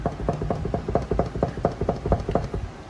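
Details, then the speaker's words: 1992–1996 Ford F150 with a closed door knocking loosely in its latch: quick hollow metal clunks about four times a second, a rattle while driving from worn door latch/striker. "while you're driving it will make that noise that rattling noise now the proper fix would be is would be to buy new door jams"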